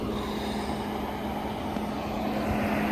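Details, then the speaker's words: OutEquip 12V rooftop air conditioner on a 2005 Bigfoot 9.4 SB camper, heard up on the roof after running all night; steady even whoosh with faint hum, no knocks, very quiet and normal. "you can hear, it is very, very quiet."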